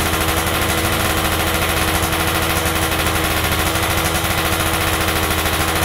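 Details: Stock Yamaha F1ZR 110 two-stroke, carburetor air screw being set (about 2.5 turns out lets top-end RPM climb fully): a fast, crisp crackle at steady speed, with even pops and no stumbling; the engine runs cleanly.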